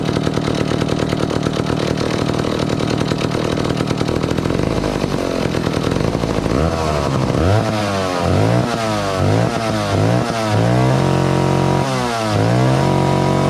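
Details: 1962 McCulloch 1-46 chainsaw, revived after it had no carburetor, fitted with a scavenged old carburetor and intake part: raspy two-stroke buzz settles into a steady idle, then repeated quick blips rise and fall cleanly, so it runs healthy.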